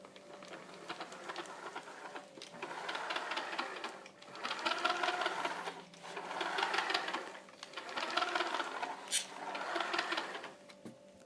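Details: Kyosho Scorpion XXL VE electric RC car after upgrading stock pinion to 16T, fitted using the paper method: short bursts of high, gritty gear whine rising and falling with throttle; otherwise runs great.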